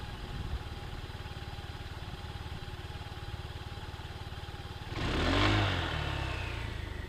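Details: Even putter at idle, then as revs rise a thin whistle climbs with speed and fades: CVT variator whine.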